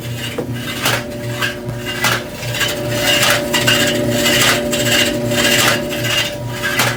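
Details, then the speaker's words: Electrolux front-load dryer EIMED60LT3 that still heats. Harsh rasping scrape with sharp bursts about once a second as the drum turns, caused by a loose bulkhead panel rubbing the drum. "As you can tell from the last video, this dryer obviously has some issues. It makes noise, you can tell from the video, and I checked and it did have heat."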